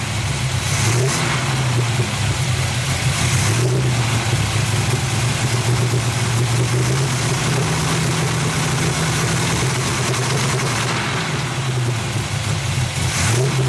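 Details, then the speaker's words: 350 V8 in an SS: lumpy, uneven idle with wandering revs that never settle; no smoke and fans work. Owner suspects tight valves and plans to check the valve adjustment. "It don't seem to smoke. I haven't heard any death noises in it yet. Fans work. See, she don't sound too good."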